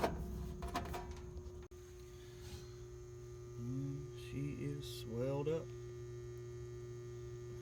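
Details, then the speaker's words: Old outdoor AC condensing unit on a no-cool call: a steady low electrical hum with no motor spinning up as it tries to start and stalls; bad capacitor, with a slight piston restriction also diagnosed. "Old pain unit. I hear it trying to come on. I think I know what it's going to be."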